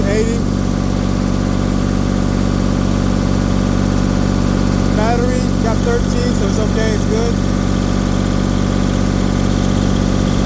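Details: Diesel engine on a LeeBoy 1000 paver that started then shut down, running while the fuel system pumps up after water was cleared from the fuel/water separator: steady, smooth idle at four even pulses a second, no hunting, knocks or stalling.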